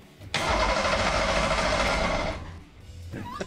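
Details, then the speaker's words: Ford SHO engine cranked during teardown: the starter spins it for about two seconds with an uneven, harsh churn and a bad vibration, no start; abnormal rough cranking, suspected motor mounts or a broken transmission, compression not yet checked. "all right it spins God dang it sounds a little funky and it feels a little [Applause] weird that does not sound good I don't know why but it just doesn't it's got a real bad vibration to it"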